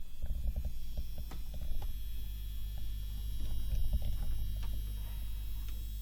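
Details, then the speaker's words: Seiki SE40FO04UK LED TV, back cover off, powered on, listening close to the main AV board: steady low buzz, suspected from the yellow transformer coil on a loosely tightened casing, a nuisance rather than a fault. "I mean to me it sounds that it's coming more from this transformer this yellow coil type thingy okay it's a transformer and it's probably a problem of casing issue"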